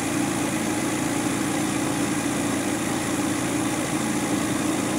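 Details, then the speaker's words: Engine after tappet (valve clearance) adjustment, carburetor serviced, previously noisy: steady, even idle with a smooth mid-pitched hum and no tappet ticking remaining; valve clearances sound right. "Tadi kan kita dengar bunyi bising kan? Betul ke dia dah elok?"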